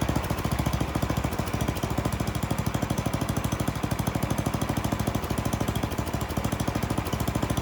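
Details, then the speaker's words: Troy-Bilt snowblower single-cylinder engine with new carburettor, high-speed mixture being tuned lean to rich: fast beat mostly steady with slight hesitations, running badly when leaned and too rich when backed out. "I did the high end first. I leaned it out and it really started running bad. So I backed it back out and I kept backing it out until it actually ran too rich."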